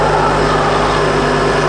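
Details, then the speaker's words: 2003 Honda Accord 2.4 after alternator replacement, idling: steady, even idle with a smooth low hum and no whine, knock or squeal. Charging now works properly and the new alternator is not overheating. "All right, guys, so as you can see, our alternator's in, and we are no longer having an issue with charging. But this is working properly."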